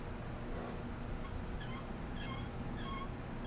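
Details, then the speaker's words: Turbo 400 transmission being built for a big block: short high chirping squeaks over a low hum as the roller clutch is turned by hand; the squeak is normal and identifies a roller clutch rather than a sprag. "And then of course we have this is going to be a roller clutch since it squeaks."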